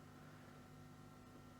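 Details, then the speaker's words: Epiphone SG G-400 that crackles when plugged in: steady low mains hum with buzzy overtones, the same on any pickup. Grounding fault after the pickups; a loose or snapped thin ground wire is suspected. "so there's a lot of ground hum they're probably in a loose connection maybe wires"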